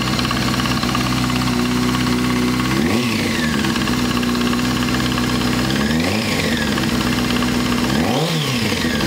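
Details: Honda F4i motorcycle engine with steady light ticking at idle that quickens with throttle blips; persists after new OEM cam chain tensioner, source undetermined.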